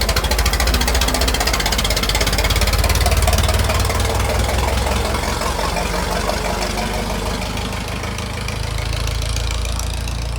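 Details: Restored 1921 American LaFrance fire engine (Licking County Fire Dept.), restoration finished, on a ride: big old petrol engine running steady with an even, quick beat and deep rumble, no misses or knocks; healthy.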